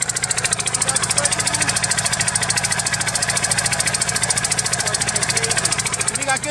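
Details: 1998 Geo Metro three-cylinder that sat for years: light, fast, sewing-machine chatter at about 200 pulses a minute, thin and lumpy; running on two cylinders with one dead, misfiring.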